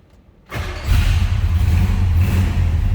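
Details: 1966 Chevrolet Biscayne 2-door sedan V8, cold start before warm-up; quiet, then catches and settles into a deep even rumble with a steady lope, no knocks or misses; healthy.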